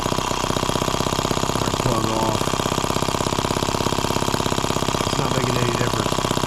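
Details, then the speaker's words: Microcosm H76 small water-cooled model engine, first start on fresh fuel, throttle cracked open from idle: fast busy chatter with a recurring rougher knock over it; cause unclear, spark plug being pulled to check. "there's that noise again let's pull that plug out of there we'll see what's going on"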